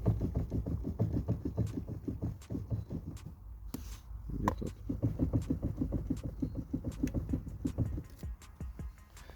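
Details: Loose, irregular knocking from the front end of a car over small bumps and rail crossings, felt in the steering; the owner was told to lubricate the steering shaft splines.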